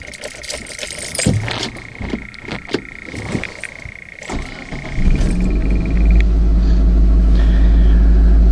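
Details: Summit car restarted in park after a no-start, cold snowy weather: a few seconds of cranking, then it catches and settles into a steady, even idle; normal start.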